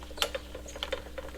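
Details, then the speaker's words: Self-propelled lawn mower whose drive did not work after its belt slipped off the pulley: light, irregular clicks and ticks as the gearbox pulley is turned by hand with the lever engaged, wheels turning, no grinding or binding; gearbox working normally. "колёса также крутятся значит наш редуктор рабочий всё в нём в порядке"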